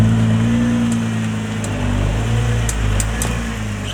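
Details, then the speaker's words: 2020 (MY20) Nissan GT-R R35, about six months after purchase: faint irregular clicks from left front when steering right at low speed and reversing; reportedly rust on hub/bell-housing mounting surface, to be cleaned. "で、この症状をネットでググってみたら3号では、あるある話のようで、このベルハウジングの取り付け面の錆が原因でカチカチ音が鳴るらしいです。"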